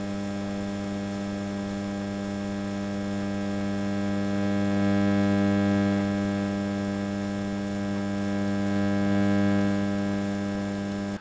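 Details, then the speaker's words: Onkyo 806 AV receiver, after DSP supply repair: a pretty loud steady low mains hum with a faint buzz. It rises with volume only above a certain setting, so noise enters both before and after the volume control; cause unconfirmed. "Now, there is still a pretty loud hum in the background."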